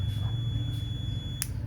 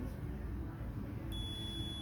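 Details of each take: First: Multimeter continuity test on a gooseneck desk lamp's KCD1-101 rocker switch (250VAC 6A/125VAC 10A): with the switch on, a steady high beep sounds continuously, then cuts off with a click; the switch is closed and conducting. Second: Gooseneck desk lamp replacement 3-pin KCD1-101 rocker switch (250VAC 6A/125VAC 10A) on a multimeter continuity test: steady beep across one pin pair with the switch off, so that pair is unsuitable and the other two pins are used.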